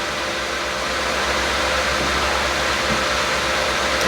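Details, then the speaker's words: Lenovo ThinkCentre M91p running Windows 10: a steady, loud airy fan rush with constant hum and no pitch change. The fan is stuck at 100%, suspected board fault or BIOS setting, not confirmed. "Yeah, it's annoying that the fan is so loud."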